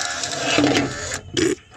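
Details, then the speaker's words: Power window motor removed from the door, whirring roughly with a gritty grind, then a short second burst; grinding from inside the electric motor, which is full of rust in the gears. "if it falls off the door and you can hear there that the grinding's coming from the inside the electric motor"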